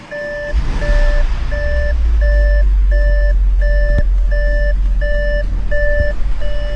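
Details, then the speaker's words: Audi S6 (Copart car) first start after new turbo install, no coolant in system, battery packs and charger connected: engine catches and settles into a steady, even low rumble under a repeating warning chime, no knocks or misses; sounds amazing, normal idle. "my words it started it actually sounds amazing unbelievable"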